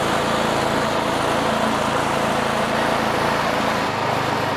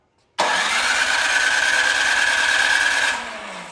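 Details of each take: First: Craftsman 26-inch two-stage snow thrower with a Quiet Technology 270-QU engine that had sat for years, pull-started after debris was cleared from the carburetor. The single-cylinder engine holds a steady, even, fast beat with no misses or surging: running normally. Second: Craftsman 26-inch snow thrower with a 270-QU engine that had sat for years, on choke and primed three times: the electric starter spins it for about three seconds without firing despite good spark. No start.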